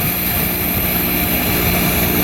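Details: AC system after a new valve was installed following a leak, with no Freon in it, being evacuated before charging: the vacuum pump gives a steady, even hum with a constant low drone and no surging, pulling down smoothly.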